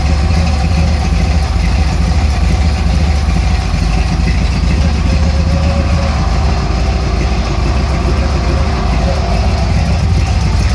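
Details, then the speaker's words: 1964 GMC "Crustine": rough, loping V8 idle that loads up easily; owner suspects the big Carter fuel pump is pushing too much fuel pressure into the carburetor and plans to add a fuel pressure regulator. "this big old carter pump is just shoving away too much fuel into that carburetor and it is not too happy so it tends to load up a little pretty easily and i think it's just from the amount of fuel pressure"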